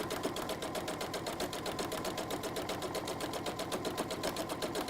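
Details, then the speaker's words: Sewing machine stitching at a steady rapid pace with a hard clunk on each stroke, because a non-genuine universal bobbin is slightly smaller than a genuine one and sits loose; the cure is genuine bobbins. "I think I might have let a couple slip through which aren't genuine, and it doesn't half make a difference because you'll hear that bobbin's clunky."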